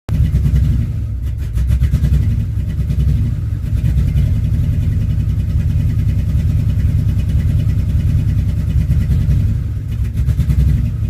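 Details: 2005 Dodge Ram 1500 5.7 Hemi V8 at idle with an uneven lope and periodic surges and dips every couple of seconds; rough idle, cause not yet found.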